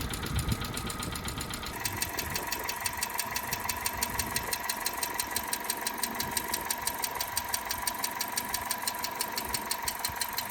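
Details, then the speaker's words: Cheap budget race car that had sat a long time, idling: sharp, regular tick about twice a second over a steady idle. The tap persists once warm with the thermostat open, and the engine burns oil. Valve train suspected, not confirmed. "sounds like it's drivve train I think cuz it's sat there for so long so we'll let it he heat up get a heat cycle through it we'll see if that oil comes through and and quietens down that valve train"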